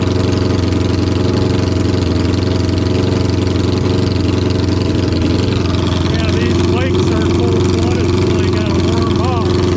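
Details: 1972 Honda 500 Four, cold patio start after a carburetor and fuel fix and resoldered connectors: a lumpy, stumbling idle with one cylinder dropping out. Misfire from a gas-fouled spark plug; replacing the plug cured the miss.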